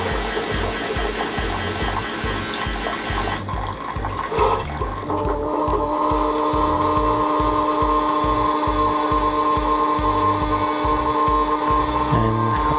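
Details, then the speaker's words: Keurig K-Compact coffee maker during initial setup, after the water has heated: flushing the lines with hot water on the small cup size with no K-cup inserted. Steady pump hum with rhythmic pulsing and gurgling, settling into an even tone; normal hot-water line flush. "And then when this 3 lights is blinking blue, you can choose the smaller cup just to flush the lines with hot water."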